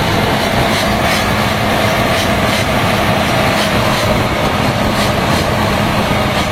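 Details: HB365 diesel with an EGR-type turbo at high idle, after repair of a severe turbo rubbing noise: a steady, even drone with a smooth turbo hiss and no scraping or chattering. Normal.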